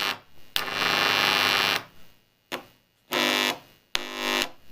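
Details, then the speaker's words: Hiss heard from a cheap eBay mini amplifier in a homemade USB speaker powered from a 7-port smart phone charger with no input device connected; bright, even open-input hiss shows the channel is alive, and it stops once a source is connected. "If you guys can hear the hissing, it's the speaker."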